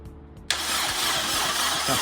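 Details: Honda Integra DC2 cranked for the first time in five years after no running engine since 2017, starter wired up temporarily to get oil circulating: even, steady crank under a loud hiss, no firing, normal cranking.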